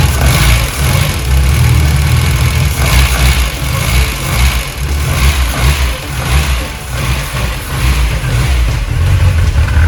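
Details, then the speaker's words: VW Golf 1, throttle worked by hand with no cable fitted: the engine catches and settles to a steady idle with a few blips, running evenly with no misfire or knock. "Supposed to fire right up."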